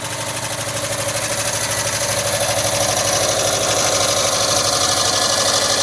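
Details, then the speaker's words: 1979 Volkswagen Westfalia warming up after cold start, rebuilt with new Porsche hydraulic lifters: ticking is much reduced, now a quick, even sewing-machine patter at steady idle with no knocking; normal idle. "still hear the ticking bud nowhere near as bad as when it first started and now it's sounding more and more just like a sewing machine"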